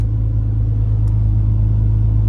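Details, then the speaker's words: Warm BMW ZHP turbo build idling settled at target 147 just after connecting RomRaider: steady low hum, even idle, no knocks or misses; normal warm idle. "we're there. We're at our 147. You can just tell by ear. Beautiful sound, too."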